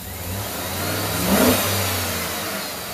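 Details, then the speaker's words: 2007 GMC Yukon V8 after cylinder 1 misfire repair (new head gasket, DOD lifter, pushrod, exhaust studs fixed): revs up smoothly from idle and settles back, good oil pressure, no exhaust leak. "so everything's good we're gonna go take it for a test drive and hook up the scan tool"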